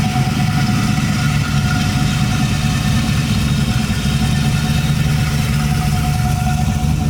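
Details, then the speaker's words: LS-swapped Nissan 240SX, just started after rebuild work, fired with barely a turn of the key: steady, deep, even idle with smooth rumble, no misses, knocks or hunting; normal idle. "it's already running pretty good I'd barely turn to the key it's already nine different this is awesome I'm stoked"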